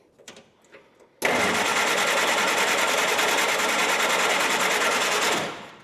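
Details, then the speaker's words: 1946 Jeep CJ2A that had been starting every time: steady whirring crank pulsing about three times a second, never catching. Fuel starvation: the fuel filter gets no fuel and the new lever-arm fuel pump doesn't seem to pump. "Our fuel filter is not getting fuel. What the heck's going on here?"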